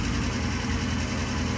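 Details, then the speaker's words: Vintage British motorcycle, first start on remote gas tank after ignition timing set with strobe: short burst of firm, even firing with no misses or clatter, no smoke, good oil flow; runs cleanly. "we just set the timing and uh the bike sounds really good"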